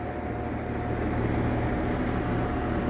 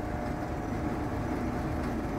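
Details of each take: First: Vintage Sears Homart Cooler belt-drive window fan, 1/6 HP Craftsman motor, dusty, belt likely worn, running on high: steady even low hum with smooth air whoosh, no ticks or rubbing; normal running, much quieter than another fan. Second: Vintage Sears Homart belt-drive window fan with a 1/6 HP Craftsman motor, on low speed: a steady hum with a light loose rattle. The owner suspects the motor and shaft need lubrication and the original worn belt needs replacing.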